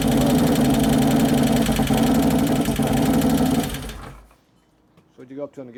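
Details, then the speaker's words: 2011 Harley-Davidson Road Glide FLT Twin Cam just after engine rebuild, first start-up while checking oil pressure: fast busy ticking clatter over the idle for about four seconds before shutting off; hydraulic lifters not yet pumped up. "that clatter hydraulics not pumped up yeah the computers fighting it that's why it's going up and down up and down because the valves that one still aren't working very good"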